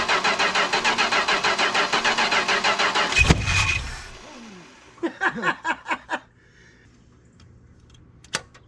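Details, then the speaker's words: 440 big-block V8 from a 1974 Chrysler New Yorker, carburetor choked with a screwdriver, extended cranking with the starter getting hot: even chugging, one brief cough and weak catches; hard start, ignition switch suspected of intermittent power to the coil. "Of course, every time I let go, Yeah, I know. she tries to flash. There we go. Starter's getting hot."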